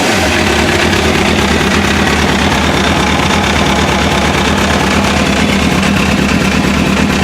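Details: MV Agusta F4 motorcycle after replacing the failed OEM fuel pump with an AEM 320E LPH pump: starts and settles into a steady, even idle with a smooth low beat, no misses or knocks; normal idle.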